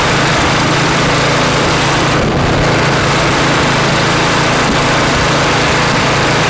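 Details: Customer snowblower after cleanup and reassembly: even, steady small-engine drone with smooth low beat, no hunting or misses; carb feeding properly, healthy.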